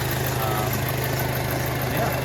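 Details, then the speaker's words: 2006 Audi A4 Quattro 2.0 liter turbo, recorded at the open engine bay: steady even low hum with no knocks, misses or uneven pulses, no odd vibrations; normal smooth idle. "so the engine runs nice and smooth there's no odd vibrations or anything like that"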